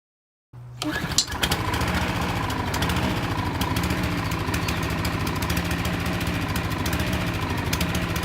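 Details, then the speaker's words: Hayter Harrier lawn mower fired up for the new season: the small single runs unevenly, its revs hunting up and down; sediment from the fuel tank in the carburettor bowl is the cause. "As you can see, this is my Hayter Harrier, and I've just fired it up for the new season, and it seems to be searching for its revs, hunting for its revs."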